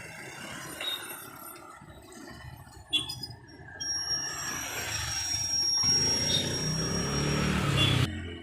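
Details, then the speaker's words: Old Royal Enfield Bullet 350 (AVL engine) rear wheel spun by hand: thin, high, steady squeal over light swishing rub; brake shoe spring rubbing the drum, braking also weak at speed. "Tyre को घूमते एक sound आती है वह sound आपको सुना रहा हूं प्रॉबलम कहां पर है यह भी बताऊंगा"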